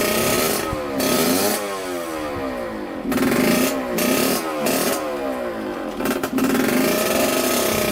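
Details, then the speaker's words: 1989 Yamaha YSR 50 two-stroke, sat for years, carburetor cleaned, premix fuel, first ride: screams to high revs, then repeatedly stumbles and drops out before catching again; keeps cutting in and out, exhaust pipe restriction suspected. "all right so it keeps on cutting in and out like that"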